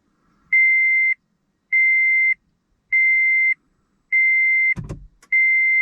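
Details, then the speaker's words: 2013 Toyota Prius with 10-year-old failing 12-volt battery at 7.86 volts, shutting off: five evenly spaced high beeps about one a second; P-lock malfunction warning though it is in park. "And I got a P-lock malfunction when parking. Shift to P position and push the power switch to turn off. Well, it is in park."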